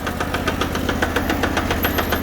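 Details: Sears Suburban garden tractor, fourth transaxle failure this year: rapid steady knocking about seven or eight per second over a low engine drone; transaxle knock, first suspected chain slap, not confirmed.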